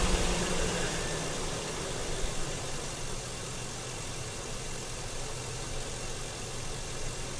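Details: Truck at about 35K miles, first start after the fuel rail was refitted and the fuel injectors cleaned, 2 years after the last cleaning; steady, even idle with a smooth low hum, no misses, stumbles or knocks.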